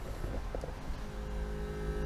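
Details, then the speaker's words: Land Rover Discovery 2 TD5 with a newly installed in-tank fuel pump and filter, ignition in position two, battery at about 12.5 volts, heard from the rear. A steady, even electric hum with no whine or surging, much better than the old pump; normal fuel pump hum. "doing its thing humming away sounds a thousand times better than what my old one is"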